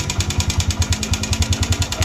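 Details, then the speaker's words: Motorcycle single-cylinder engine running: a fast, even clatter of about nine beats a second, a knocking noise caused by a defective, slack cam chain. "imos com um barulho de batimento né Não sei se estamos a conseguir escutar esse barulho este barulho é o defeito da correntinha"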